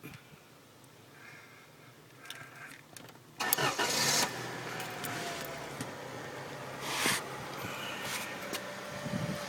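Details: 1995 Acura Integra cranks but won't start: steady churning for several seconds, never catches. Main relay inspected, no cracked solder, works fine, with good voltage reaching the IAC.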